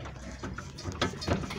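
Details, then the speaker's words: 2010 Kia Cerato (2009 build) rocked by hand: short dull clunks from a worn stabilizer link, which stop when the link is held by hand, confirming the play there. "o barulho batendo mais forte um pouquinho agora ó agora eu coloco a mão o barulho para então a folga é essa folga aqui mesmo tá confirmado"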